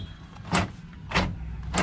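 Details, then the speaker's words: Tata Sumo Gold door after tying rattling connectors inside with cable ties and refitting cover and handle; three clean single thuds with no buzzing or loose rattle; rattle gone. "को lock भी set कर दिया जो आज पहले आ रही थी वह अब नहीं आ रही है"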